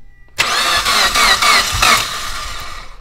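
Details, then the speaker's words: 2008–2015 Mitsubishi Evo X with freshly rebuilt engine, first start attempts: quick cranking pulses about four a second, brief catch that dies; finally started after about five tries holding the gas pedal to the floor. "hell yeah boys we finally finally finally got it running all it was is I had to hold the gas pedal all the way down to the floor and hold it"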